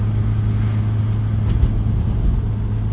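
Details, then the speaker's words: Old Fiat after a tune-up and ignition timing set, warming up at about 160 degrees while driving: deep, even engine note with steady pull and no knocks or misses; smooth running and smooth transmission. "nice transmission really smooth running car really pretty good"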